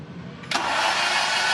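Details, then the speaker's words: 1996 Mazda MX-5 Miata with swapped Honda K24Z3 engine, first crank, coolant and intake at 69: a steady, even starter whir turning the engine over smoothly without firing; cranking sounds healthy. "nice okay so it cranks i'm very nervous yeah that's awesome that it cranked"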